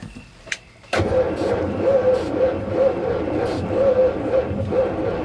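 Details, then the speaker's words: Abandoned 1955 GMC 350 with Hydra-Matic, first run attempt after 30+ years with weak orange spark: starter drags engine over sluggishly, slow labored compression pulses, no firing; battery running low. "whoa whoa whoa just turns over so dang slow though let me find a all right ready i i hear it man i hear it all right let's do it again i think our battery's getting low"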